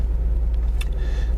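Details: Isuzu at a cold idle of a little over 1,000 rpm, oil pressure gauge reading about 70 psi, accelerator sticking: deep, evenly pulsing rumble at a slightly fast idle with no knocks or ticking. It sounds healthy.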